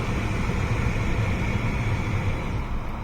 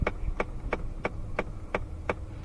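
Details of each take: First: 2017 Ford Fiesta, A/C recirculation actuator behind the glove box after repair of a clicking complaint: only steady blower hum as the recirc door swings over and back, with no clicking; the actuator works normally. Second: 2017 Ford Fiesta clicking when the AC or recirculation/max AC is switched: steady dry clicks about three a second behind the dash from the failing recirculation door actuator.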